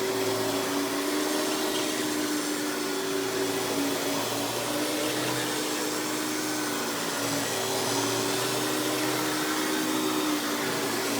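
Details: Hoover PowerMax Supreme 850 S3609 canister vacuum, 1990s, non-original hose, on high speed with power brush: steady high motor whine, constant rushing airflow and even brush hum, no rattles or surging; runs very smooth, not the quietest; normal running.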